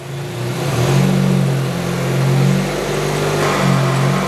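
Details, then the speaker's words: Chevy Cruze 1.4 GDI engine on a training bench, in drive with the brake held and the accelerator pressed for a stall (load) test. The engine revs up to a steady held speed, smooth and even with no knocks; normal engine under load. "now i'll hit both pedals so the brake is already depressed i hit the gas pedal you hear the engine rev up"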